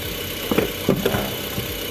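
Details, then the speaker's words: Mitsubishi Xpander Cross 4-cylinder engine idling after its four spark plugs were cleaned and refitted: low, steady idle, stable rpm, no misfire, a few handling clunks; runs normally, no symptoms. "Kita hidupkan mesin ya, pastikan mesin itu tidak atau berjalan dengan normal, tidak ada gejala apapun, dan berarti pemasangan businya pun sudah selesai ya dan berhasil ya."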